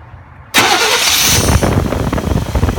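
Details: 1994 GMC K1500 4WD with TBI after rebuild and a spliced fuel line: cranks briefly, catches cleanly and settles into a steady, even idle, no misses; good injector spray, no leaks, successful.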